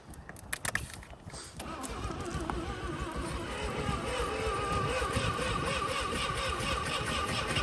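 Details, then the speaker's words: 1985 Mazda RX-7 rotary, sat 30 years in a garage, a little fuel sprayed in, in neutral, throttle open: fast rhythmic cranking with uneven catches and brief firing bursts that fail to hold; nearly starting. "oh oh getting there we've almost got this thing started"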